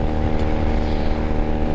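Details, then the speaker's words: 1997 Honda Rebel 250 riding uphill at about max throttle with cut exhaust: deep, raw, very loud unmuffled bark; exhaust far too loud, owner considering stock exhaust or slip-ons. "I'm not saying that this bike is obnoxious with a exhaust cut but"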